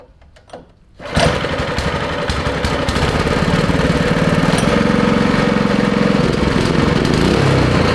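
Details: Go kart's Jiang Dong 196cc OHV single after cleaning debris from the carburetor bowl that kept the float needle from shutting: fires after a second and settles into a steady, even putter without misses or knocks.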